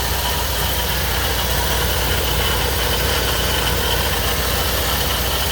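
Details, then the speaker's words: 1985 C4 Corvette at idle after high-volume fuel pump install, fuel pressure steady 35: dense, even rasp without clear rhythm, an accessory pulley making noise, cause unconfirmed; a vacuum leak also noted. "Sounds like we got a pulley making some noise over here."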